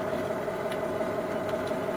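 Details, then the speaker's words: Supreme 78 RPM alligator-skin record player, first power-up in a long time: constant mid-pitched hum with faint occasional ticks while the deck spins; the drive runs noisier than it should, cause unconfirmed. "Now, I remember that it did come on, but it's been a while since it's been plugged in. Ooh. It's pretty noisy."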